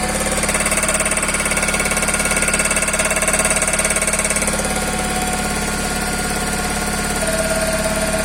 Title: Toyota Corolla 5e-fe стук двигателя